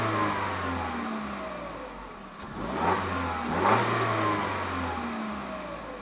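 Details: 2021 Peugeot 3008 Allure, 1.6 THP EP6CDT turbo petrol, 6-speed automatic, stationary: spins up cleanly twice and drops back smoothly, pitch rising and falling evenly, no knocks or rattles; healthy free revving.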